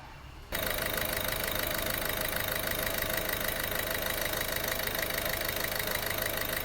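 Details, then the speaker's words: 1.6 HDi 8v diesel after repair: steady, even idle with light regular clatter, and the earlier knock on acceleration is gone; only a turbo whistle remains. "كيما سمعتو الموتور راحت له هذيك الخبطه اللي كانت فيه كي اكسيليري"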